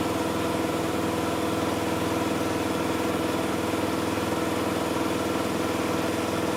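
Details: Miele Softtronic W6544 washing machine, drum loose and noisy (bearing damage questioned): loud steady running with a regular thump about twice a second as the drum turns; drum loose from a broken drum spider (Trommelkreuz).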